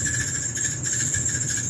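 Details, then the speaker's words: Maytag Bravos XL natural gas dryer running: shrill steady squeal over the drum rumble, making a loud racket; worn idler pulley, fixed by replacing the idler pulley. "you have a maytag bravo xl natural gas dryer it's making a heck of a racket and you turn it on it's"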